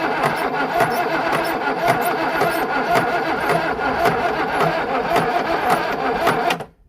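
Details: Budget marine engine meant for a 1967 Mustang fastback, seemed seized before: rough lumpy cranking with irregular heavy clunks, no clean firing, sounded like a bad rod; plug leads wrongly placed, wrong firing order.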